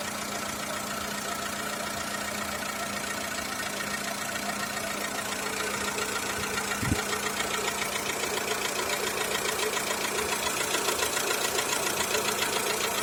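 Light regular ticking knock about three and a half per second over a steady idle, sharper on top; source not pinned down.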